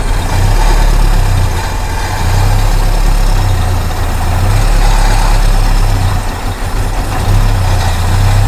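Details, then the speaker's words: 1973 Mustang Mach 1, sitting 15+ years: heavy low rumble with an uneven chug of about four beats a second that never settles into a clean run; it is starving for fuel, with no fuel from the tank. "We need to replace the line from the fuel pump up here, and then we're not getting any fuel from the tank."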